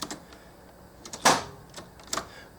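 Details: 1986 Chevy Camaro IROC Z28, fuel pump replacement with ground screw redone: key turned to run, a few sharp irregular clicks with no cranking; fuel pump fails to prime, owner suspects battery drained from being left on over the weekend. Cause unconfirmed.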